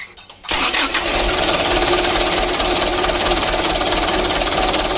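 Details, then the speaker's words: Mitsubishi Canter 125 PS Super Speed diesel after new injection pump, governor spring nut loosened and lower throttle shaft bolt adjusted: brief crank, catches at once without throttle, steady even clatter; hard starting fixed. "hidupnya sudah mudah lor, tanpa digas ya. Alhamdulillah."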